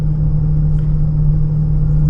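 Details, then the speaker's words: 2015 Honda Pilot, 64,000 miles, driving at 25–40 mph: steady low droning airplane-like whine that grows when steering left and quiets to the right; likely driver's side wheel bearing rather than VTM transfer case. "So on a bearing, anytime you pull to either side, increasing noise level, okay, that would likely the bearing."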